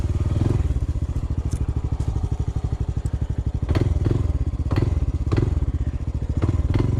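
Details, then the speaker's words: Honda CT125 on a steep uphill trail ride: small steady thumps, each throttle touch bringing a short clattery surge; noise located near cylinder, rod or piston suspected, rider fears seizure. Finding: abnormal engine noise under throttle. "damn it that loses my confidence and i think something's terribly wrong i don't know it almost sounds like it's about to seize"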